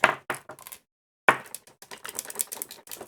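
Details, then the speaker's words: DIGI DI-160 veterinary scale controller, blown up by a wrong power adapter: irregular light clicks and rattles in bursts as the unit is shaken, loose broken pieces tumbling inside the housing. Loose internal debris rattle. "can hear things rattling inside."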